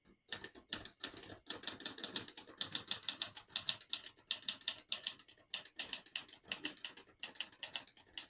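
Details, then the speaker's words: Serviced 1968 Olivetti Lettera 32 manual portable typewriter, crisp sharp key strikes at an uneven pace with clean metallic snaps, no drag; all keys type nicely without skipping or sticking: normal typing. "As you can see, all the keys type nice and none of them skip or stick."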